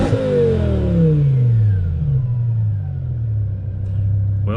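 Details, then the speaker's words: BMW E60 M5 S85 V10 on test drive after rod bearing job, temps around 210: hard pull with engine note sweeping cleanly down, no knock or rattle; mufflers seem restrictive, exhaust rushing; bottom end healthy. "Those mufflers are definitely restricting it, because you can hear it rushing out the exhaust. I mean, overall, I'm pretty happy with it."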